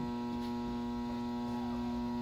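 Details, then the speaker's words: Shop unit filling toward 4.5 inch autofill level (fill solenoid on, not the fan): steady, fairly low electrical hum at even pitch; fill solenoid energised and working normally. "not the fan I'm sorry the fill solenoid is on"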